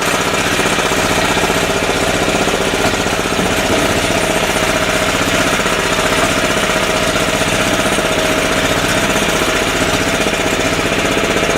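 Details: 10hp single-cylinder LaunTop Yanmar-clone diesel idling under a minute after a cold start at about -4C. Loud, even, unbroken clatter at about four beats a second. Normal cold idle; it smokes for about 20 minutes and more at low rpm.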